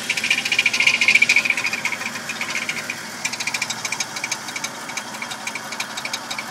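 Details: Toyota Tacoma idling: light, tinny rattle tapping three or four times a second over the engine; owner trying to find its source, which is unknown.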